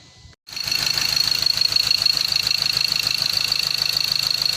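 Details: Ford Ranger T6/BT50 diesel with lost power, stalling, P0203/P0204 codes, after number two and three injectors serviced: steady even diesel clatter at idle, about three beats a second, no misses or stumbles; healthy smooth running.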